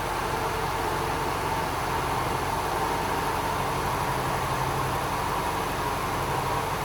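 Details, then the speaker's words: BMW G12 750Li, N63 twin-turbo V8, startup after new spark plugs and ignition coils, before warm-up; no check engine light; quiet even idle with soft steady hum, no misses, knocks or ticks; normal idle. "So with that being said, I'll leave the microphone here just so we can hear the startup."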